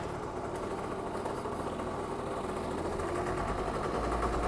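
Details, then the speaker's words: Yamaha Zuma 50 two-stroke scooter, cold start with electric choke engaging: settles into a steady, even buzzing idle with no knocks or misses, running healthy. "that electric choke kickin on runs pretty much perfect"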